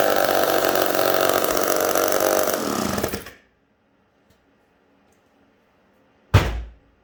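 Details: Homelite 775D chainsaw after a full overhaul (cleaned piston and Tillotson carb, ignition points cleaned, new condenser, new clutch drum and bearing): the two-stroke buzzes along evenly without stumbles, then cuts off cleanly. It sounds healthy.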